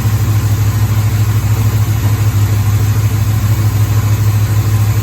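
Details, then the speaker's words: 1973 Pontiac Firebird's first run in decades, screwdriver wedged in the throttle: lumpy fast idle with an uneven loping pulse about twice a second, seemingly running on about six cylinders for the first minute before seeming to smooth to eight. "So it runs pretty terribly for the first minute or so. I think that's probably about 6 cylinders."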